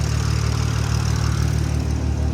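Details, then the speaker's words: Toyota Supra just modified, heard idling hot from under the car while checking the exhaust for leaks; a smooth, steady low rumble with no puffing, ticking or hiss and nothing obvious found, so a normal idle without leaks. "All right, let's check make sure we don't hear any leaks or anything. That's what I'm really worried about. It's hot under here. All right. Well, I don't see or hear anything obvious."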